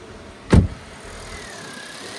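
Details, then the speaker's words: Engine idling after new accessory belt fitted, following needless water pump and alternator replacement: single thump, then quiet steady idle with no squeak or chirp; squeal was the old belt, now fixed. "The squeaking is gone. The squeaking is gone."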